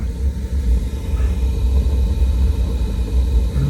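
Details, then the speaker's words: 1958 Triad gas boiler after replacing the failed mercury switch and relighting the pilot: deep steady roar with gentle surges, no popping or banging; burners firing normally. "all right guys and as you can tell you can hear the burners firing up"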